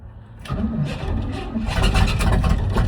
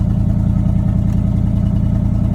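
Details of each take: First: 1979 Chevrolet C30: long starter cranking with a few sputtering catches that never run; spark present but not getting fuel, owner suspects bad fuel pump, weak starter. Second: 1979 Chevrolet C30 square-body truck, fuel poured into the carburetor with no fuel tank: a smooth, steady low V8 rumble with an even beat and no tapping. Normal running; it sounds good.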